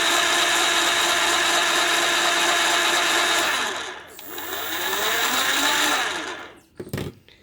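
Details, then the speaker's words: 48V 500W BLDC mid-drive motor (about 4000 rpm) with gearbox (260/160 rpm output), bench test: loud steady high gear whine with harsh edge, dipping with motor speed before spin-down; gearbox running dry without oil, noise expected to drop once oiled. "भी oil नहीं है इसलिए ज्यादा आवाज आ रही है जो elemental जाएगा डालेंगे तो इस तरह की आवाज नहीं आएगी"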